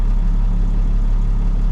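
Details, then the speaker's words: 1998 International 4700 DT466e diesel, warm idle after test drive following high-pressure rail gasket replacement: low even beat almost 700 rpm, 40 psi, no knocking or ticking; normal idle. "Alright, at idle, almost 700 RPM, 40 PSI."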